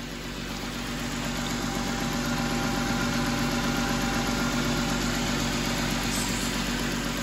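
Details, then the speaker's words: Car after a water pump and radiator replacement, with its cooling system just bled of air, idling while the radiator fans cycle on, possibly with the A/C still on. A smooth, steady idle with fan rush building; it is idling normally. "let it run let the fan cycle on and off just to make sure the car is you know cooling back down"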